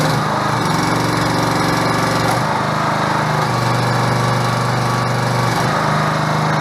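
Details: 6.5 hp gas engine driving a 13 gpm two-stage hydraulic pump (2000 psi, 7-gal tank) on a portable hydraulic power unit; steady, even drone at constant speed, no knocks, misses or surging; normal healthy run under pump load.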